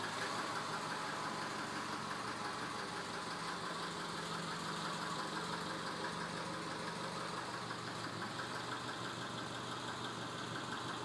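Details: 1999 Subaru 2.5L EJ25 petrol engine at 180K miles idling with a dull, hollow knock about three a second: piston slap. The engine is being pulled for a rebuild.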